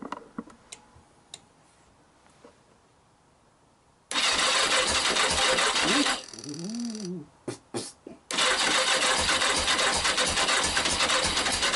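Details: Yamaha XJ900S on first start in 10 years, jump-powered from a power pack: quiet clicks, then a sudden loud burst of cranking and firing that stumbles, dies and catches again. Hard starting after long storage.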